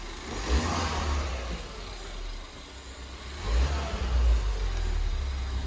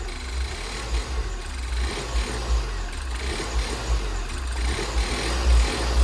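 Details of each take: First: Fire-damaged Ford Fiesta ST 215 being rebuilt, first revs after ABS codes cleared: low engine note swells and drops twice as the throttle is blipped, picking up cleanly without hunting; normal revving. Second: Fire-damaged Ford Fiesta ST rebuild, first runs with much still disconnected: idle surges up and down about twice a second with a lumpy low rumble, never settling, slight tick and won't rev up; hunting idle.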